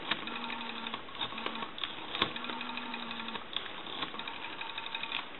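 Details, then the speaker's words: Brass elephant rotary telephone, dial cleaned, adjusted and oiled after repair, spins back with an even run of quick clicks at a steady rate, no drag; dial mechanism healthy. "That has been cleaned, adjusted, and oiled. So we want to go ahead and it's smooth now like it's supposed to"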